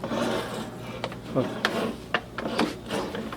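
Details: Bowflex TC20 Treadclimber, motor and back bearing previously replaced: uneven scraping rasps with each step from a loose separation plate between the treadles rubbing.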